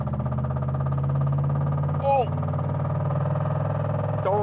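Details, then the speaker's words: 1987 Chevrolet Camaro IROC-Z V8 idling: heavy rhythmic knock over the low rumble, steady with engine speed; big rod knock from a badly worn rod bearing. "What that is one big ass rod knock, and well, let's just say that's not good."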